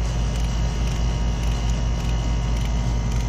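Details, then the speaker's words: R410A air conditioner being pumped down before evaporator replacement: heavy steady low compressor hum with a faint rattle pulsing about twice a second as the compressor strains against a restricted system. "the compressor start gonna make a sound of restriction that noise never will rattle you'll hear that if you have a restricted unit we do have a restricted unit so"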